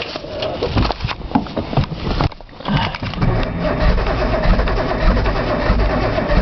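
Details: Nissan Z cranked cold outdoors on a second attempt, with brake cleaner sprayed in as starting fluid: uneven starter churning settles into a steady ~2 turns/sec crank that never catches. Cold start valve was unplugged, solenoid checked, and the fuel pump is audible.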